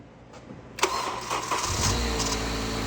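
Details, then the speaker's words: Ninth-gen Honda Civic after replacing a faulty VTC actuator spring with a hardware-store spring: short crank, engine catches cleanly and settles into an even idle without the knocking rattle it had on startup before; fixed. "Hey, way better. Woohoo. That's exciting. Woo! He had the nastiest little rattle before."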